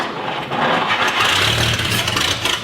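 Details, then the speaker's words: 1959 Chevrolet Apache truck that sat 40+ years, first start attempts with fuel hand-fed: starter cranking with weak coughs that never catch; fuel starvation no-start. "but it just ain't gonna do it well i think it might do it with uh maybe some you had some constant flow of gas to it"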